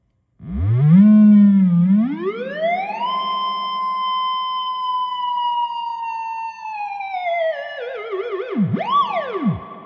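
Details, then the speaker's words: Fender Blues Deluxe reissue fed a test wave: clean tone glides up, holds, then wavers and drops with no hum, crackle or distortion. Lots of reverb, amp sounds healthy. "Lots of reverb drive available. Love it."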